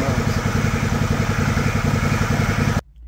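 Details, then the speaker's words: John Deere LX178 mower engine with new $22 replacement carburetor, idle speed screw at its stop: smooth even low putter with steady pulses, no misses or knocks, then shut off; very quiet normal idle. "is that the smoothest quietest running Small Engine you've ever heard in your life that way impressive Eng it for a $22 carburetor you cannot beat that holy smokes"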